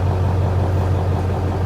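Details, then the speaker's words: 1994 Ford F350 Powerstroke diesel idling while a 250 A high-output alternator charges a 2.5 kWh lithium battery and powers a heater at 13.2 V: a deep, steady rumble with no knocks or hunting, only slightly laboured under the load. "charging the battery and powering the heater right now, and really not working that hard."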